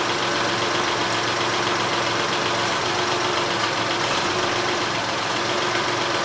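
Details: Honda Odyssey after Big-Sert repair of a blown-out spark plug hole and plug reinstalled: engine catches into a steady, even idle with no misfire stumble or ticking over the hum. Normal idle.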